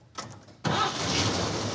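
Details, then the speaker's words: 1949 Chevy 3100 truck with a hopped-up vintage Chevy straight six, on a temporary water pump for a test drive: a short crank, then it fires cleanly and holds a steady, smooth run with no misses or ticking. A normal, healthy start-up. "that sounds much better now we can finally put a few miles on this thing"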